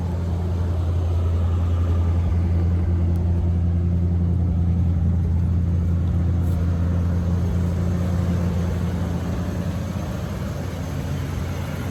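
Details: 1984 GMC Sierra Classic just started: deep, steady low rumble with an even beat and nothing knocking or ticking; 60 psi oil pressure, slightly rich, normal idle.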